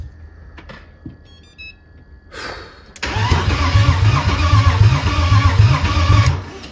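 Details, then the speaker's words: BMW E30 330i first start after engine build, oil pressure being built: after dash chimes the starter churns slowly, about four compression pulses a second for three seconds, not catching; slow cranking, then slightly better. "comment on dirait le démarreur il tourne pas vite ah c'est bien peu mieux là"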